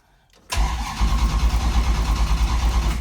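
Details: Engine with rebuilt mini starter (new Bendix drive and housing), after adding second battery and chassis-to-block ground to cure voltage drop: brisk, even cranking about two compressions per second; healthy fast cranking.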